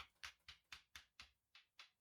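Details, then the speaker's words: Eight quick dull knocks on a birch branch blank being microwave-dried: dead, unringing sound shows the wood still holds moisture, whereas dry wood rings clearly. "А ось дивіться як стукає серед чуєте наскільки глухіший"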